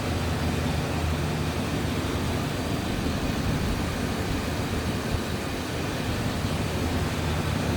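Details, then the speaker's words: 1994 Chevrolet Silverado 1500 extended cab 4x4, 5.7 L V8, automatic with overdrive, new battery, recent Y-pipe, catalytic converter and muffler, minor seeps, hood open: steady deep even idle rumble, no misses, ticks or knocks; runs smooth, normal idle. "And it's running smooth, sounds good. Tried and true engine, no doubt about that"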